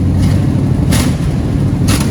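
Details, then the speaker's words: V8 with 4-barrel carburetor, running after sitting 30 years, blipping throttle to kick in the 4-barrel: deep, even rumble holding steady with no misfire or knock; healthy engine running strong. "When I touch the gas, like watch, I'll touch it and it'll kick the 4-barrel in."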